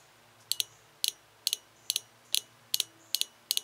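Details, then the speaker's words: Toyota 22RE fuel injector pulsed on the bench with an injector test/cleaning kit gives crisp, even double clicks a little over twice a second, showing it opens and closes normally before cleaning. "fuel injector pretty much just hooks up here and you can hear it clicking"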